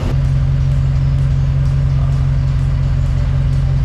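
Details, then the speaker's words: Dodge Ram 5.7L HEMI V8 idling after repairing the right (passenger) exhaust manifold leak from broken studs, warmed up: smooth even low rumble, no ticking or puffing; exhaust sealed. "cette douce mélodie du V8 juste exceptionnelle"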